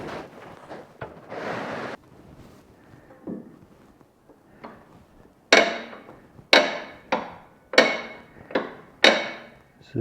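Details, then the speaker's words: Smith Manufacturing manure spreader axle hub with spring-loaded pawls held by cotter pins, wheel turned in reverse: sharp, crisp clicks about once a second as the pawls ratchet and freewheel, normal; going forward they engage the axle. "you can hear it clicking when we're going in reverse then when it goes forward it engages that axle"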